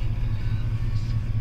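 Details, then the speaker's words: GM Gen V engine swap, idling after a throttle body airflow reset done with a scanner, with timing climbing from negative twenty degrees and fuel trims slightly off. A low, even rumble with no misses or hunting; the odd idle is fixed. "I am doing this right now so my field terms are just a little bit off but it sounds completely different"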